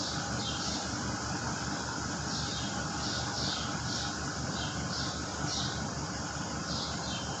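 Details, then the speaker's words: WOSON autoclave running its cycle: low steady motor rumble with even hiss, no knocks or squeal, as the vacuum pump draws down normally; chamber then near 128 °C at pressure reading 171, still heating. "Vous entendez bien le grondement du moteur quand il aspire. Donc ce petit bruit que vous entendez, c'est le moteur qui aspire. C'est la pompe de vide."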